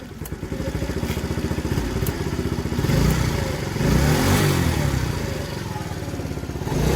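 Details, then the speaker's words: TaoTao 50cc Chinese scooter, bought not working, 3,693 miles, cover refitted: quick even putter at idle rising smoothly with throttle and dropping back cleanly; normal running and revving. "so let's uh kick this over a couple more times and make sure it continues to work to get the kill switch and it sounds great with this cover on"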